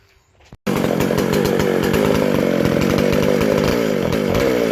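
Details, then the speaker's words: Vintage McCulloch SP125 chainsaw with 36 inch bar and chain, after fixing a large carb-to-intake gap and a loose throttle linkage; fires and holds a loud steady high buzz, pulling higher on throttle without stumbling; snappy, healthy high revs. "That is awesome. Awesome. Man, that feels just like the race saw when you hit that throttle. Just snappy."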